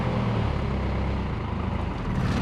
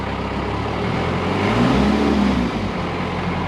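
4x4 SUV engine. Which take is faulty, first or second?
first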